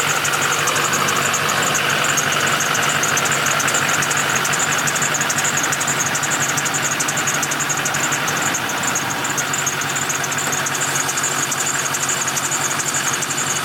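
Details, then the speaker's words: LLY Duramax diesel truck on a cold idle with a sharp, high chirp about twice a second. It has happened for a couple of years, only when cold outside, and goes away once warm. Serpentine belt chirp. "as you guys can hear, the LLY has a nasty chirping sound. I don't know why. It's been doing it for the last couple of years."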